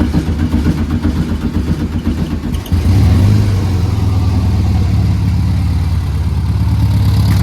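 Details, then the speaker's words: Volkswagen Beetle 1300 after new distributor (previously 180 degrees out, would not start), rewiring and tuning, previously knocking: rough catch then steady, even low idle, smooth beat, no misses or knocks; normal idle, "sweet as a nut." "So we'll start them up now. Take a listen, and I think it's running sweet as a nut."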